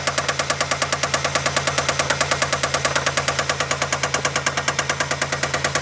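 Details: Idling engine with sharp, evenly spaced knocks about three per second, felt banging through the dog bones; deep bottom-end knock, owner suspects a bad rod bearing, unconfirmed.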